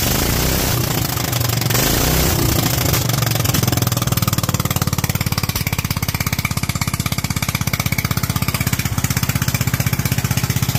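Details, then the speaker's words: Kohler single-cylinder engine with Honda carburetor being jetted: revs hard with thin, hollow, strained top end, then settles to an even beat, idles happily; lean condition at high rpm. "all right as you can hear it is leaning out insanely at the top end now it did idle it was actually really happy on the idol"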